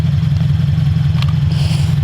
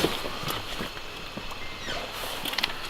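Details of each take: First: Subaru BRZ with a UEL header, restarted after a no-run episode (suspected air in fuel or vapor lock): deep, even idle with a steady low pulse and no stumbles, running normally again. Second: Subaru BRZ with UEL header: starter cranks evenly at about 220 beats a minute but engine never fires; owner suspects fuel starvation, possibly air in the fuel; crank no start.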